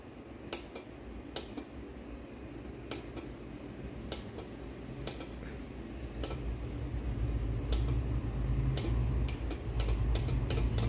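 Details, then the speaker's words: Dental chair solenoid valve rated 30 V DC, bench-powered at 30 V: sharp single clicks, often in quick pairs as it pulls in and releases, over low hum; switching normally. "this means it will work in DC voltage 30 volt when we apply the 30 volt here uh you can hear some sound like click"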